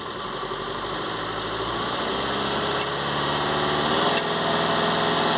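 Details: VW Crafter 2.0 TDI van with code P2463 blocked DPF soot restriction, revs held with accelerator depressor while watching DPF pressure in live data: revs climb gently, then hold evenly with a smooth steady hum, no knock or misfire.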